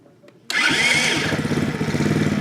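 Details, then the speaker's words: New Venom 50cc FatBoy mini chopper (automatic, performance CDI) after assembly, ignition on, kill switch in run, electric start: brief crank, then the small single catches at once into a quick, even idle; healthy start. "Now I want you to just listen to that sound. That is an amazing, amazing sound for a 50cc engine."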